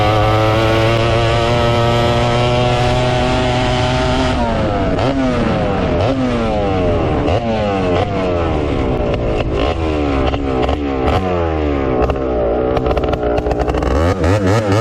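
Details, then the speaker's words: 1986 Honda TRX250R two-stroke quad after clearing a clogged exhaust pipe, engine warm: crisp, free revving, pitch climbing cleanly through repeated blips with no bogging; revs out completely, normal running after repair. "Well, that was definitely the problem. It sounds so much better now. It revs out completely."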